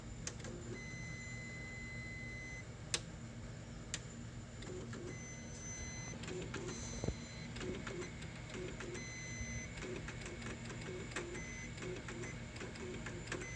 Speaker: Nothing's burning, but it seems like it's acting funny.